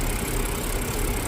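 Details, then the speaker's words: BMW N52 inline-six petrol engine at idle: an uneven, lumpy, shaking beat. Fault codes show random misfire and cylinders 1–3 misfiring; the diagnosis is a faulty bank-1 front O2 sensor. "你看这个发动机已经特别抖了，看这个空铝盒子就知道"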